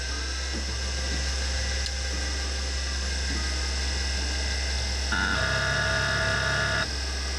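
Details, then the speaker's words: Heavy old SCSI hard drive from a Bell & Howell Apple Disk II case, long stored, hooked to a vintage Mac and recorded with an extra wireless mic beside the drive at power-up: a low hum under a rising whine that settles into an even spin; normal spin-up. "listen to that glorious scuzzy sound [Music] that's fantastic"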